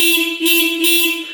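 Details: 1971 Suzuki T500 500cc two-stroke motorcycle that sat for 22 years, tested with the key on: horn gives a clean, steady single-tone beep lasting just over a second, strong and unwavering, so the horn works properly.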